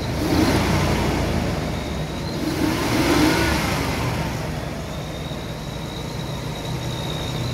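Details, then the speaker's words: 2004 Nissan after new starter motor and airflow sensor fix, throttle blipped: smooth rise and fall in engine pitch, revs climb cleanly with no knocks or misses; healthy. "Well, she seems to be running fine. Give her a little juice."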